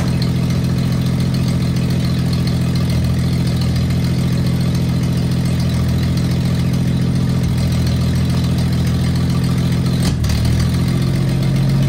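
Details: 1974 Toyota FJ40 barn find, not run in about five years: loud steady idle with a rough puffing pulse about 3.5 beats per second, possibly from the manifold; owner notes a big exhaust leak under the hood.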